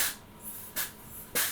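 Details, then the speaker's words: Suzuki Katana recommissioned after over 31 years unused, brake bleeding with pressure: sharp hissing spurts about every half second as air rushes out of the bleeder ahead of fluid; air in the brake line. "now that's going through I can hear it so I need to just pop around this side for a sec and just make sure it's coming up to top can hear the air rushing out of this"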